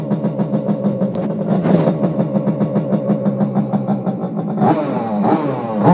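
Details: Simonini two-stroke engine in Piaggio Ciao moped, internal rotor, decompression-lever head, 21 mm carb, Fabrizio exhaust, first run in frame: loud crisp beat fires evenly, picks up with a blip, steady rhythm. Normal running.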